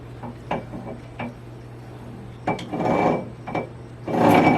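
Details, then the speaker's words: Ford 9 inch with a new spool and ring and pinion, being set up: hand-turning the ring gear gives sharp clunks, then loud bursts of harsh scraping. Something is rubbing on the ring gear despite close backlash; cause unclear. "Something's not right. I don't know what we're hitting, where we're hitting. Even though the backlash is close, it sounds like something's hitting something."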